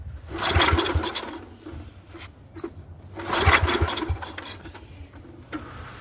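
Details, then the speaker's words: Neglected Yamaha 624 snowblower, choke closed, carburetor cleaner sprayed in the intake: starter churns the engine over in two bursts with uneven chugging but it never catches; no start. "See, it almost started. Earlier when I was playing with this, I had it turning over pretty good."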